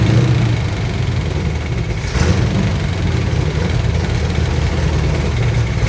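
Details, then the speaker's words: Abandoned Chevrolet C20 truck, distributor loosened, timing adjusted by ear: low, uneven idle with a lumpy, stumbling beat and no smooth rhythm; rough idle, doesn't sound better. "it uh it doesn't sound better so let's try a little timing adjustment here and see if that has any sort of effect on let's try that and see what that does see if there's any improvement now"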